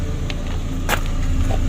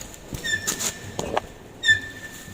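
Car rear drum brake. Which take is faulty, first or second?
second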